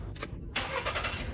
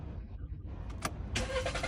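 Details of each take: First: Engine starts at once after a short crank and settles into an even idle; car previously wouldn't start and consumed too much fuel despite throttle cleaning, new spark plug, ignition coil and fuel pump; now fixed, normal start. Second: Car won't start at all and uses much fuel once running; owner had already cleaned throttle, replaced spark plug, ignition coil and fuel pump without fixing it. Two long bursts of even starter cranking, about three turns a second, never catching; clogged fuel injectors starving it.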